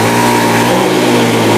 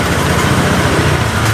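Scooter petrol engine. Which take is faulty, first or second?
second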